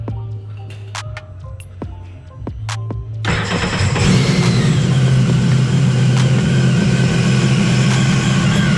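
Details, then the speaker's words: Newly completed Sea-Doo jet ski run in the shop before water testing: clicks, then the engine fires and settles into a strong steady even drone with no misses or knocks; healthy. "so as you guys can hear that thing is ready to go so we're gonna test this one out here and we're gonna test that one out as well tomorrow"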